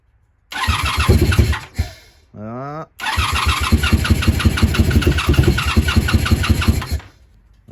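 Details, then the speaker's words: 1987 Honda Super Magna project with new battery, plugs and fuel flow work, warmed up: runs rough and uneven, brief crank, then bogs and stalls; owner suspects too much gas and choke. "oh boy now I messed it up probably giving her two too much gas too much"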